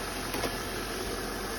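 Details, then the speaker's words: 2006 Volvo XC90 V8 after PCV valve replacement fixing P0171 and P0174 codes: smooth even idle, steady low rumble, no stumbles, misfires or check engine lights; runs cleanly. "and you hear it running no misfires no hiccups no check engine lights"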